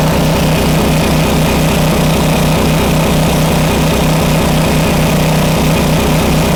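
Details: Homelite 2500 W flathead generator after repair of a stuck valve: even, unwavering drone at constant speed with no hunting or surging, governor holding about 60 Hz (59.9) after a slight dial adjustment. Normal steady running.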